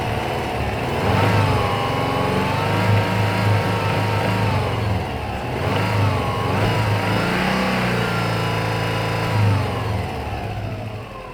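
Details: Subaru Forester EJ205 petrol engine revving up and down with a deep, uneven knocking under the exhaust: bad No. 4 rod bearing, with bronze shavings in the oil filter and a jumping oil pressure gauge.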